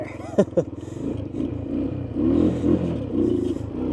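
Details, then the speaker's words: Honda three-wheeler, missing its air filter and airbox lid, choke not hooked up, started with starting fluid: uneven, surging beat with revs wandering rather than holding; running rough. "I guess she's not running 100%. But she's running."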